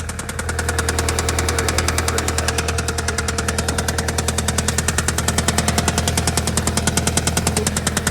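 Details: Audi A3 8P idling with loud even deep metallic knocking about three per second; owner suspects bottom-end knock, at worst crankshaft, main and rod bearings, or worse damage; unconfirmed.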